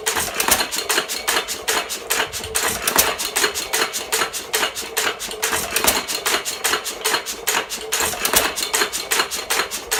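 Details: 1917 Fuller and Johnson N hit-and-miss stationary engine, first run in ten months after priming: sharp clacks at a steady couple per second with lighter ticks between, normal even hit-and-miss running.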